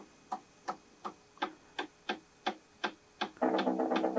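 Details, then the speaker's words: Technics cassette deck found at e-waste, deck one, door mechanism suspected damaged by forcing: sharp regular clicks about two to three per second, coming through the playback audio; deck one needs repair. "But it is playing. I think I'm hearing some of the clicking coming through in the audio. So, the deck the side one definitely needs some repair."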